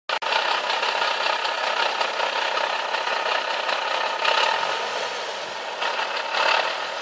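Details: Nissan 370Z at idle on first drive after fitting a JWT flywheel and clutch kit; loud gritty, fluttering metallic chatter with no clear beat, massively increased gearbox idle rattle.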